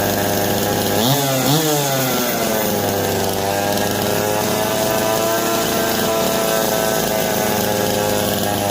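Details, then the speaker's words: Old Jonsered 525 two-stroke chainsaw, just revived: revs up twice then settles into a steady buzzing idle, running fine, but the bar oiler delivers no oil; no oil pickup tube inside the tank. "That's not oiling. So we need to check on that. You can't run it without it oiling."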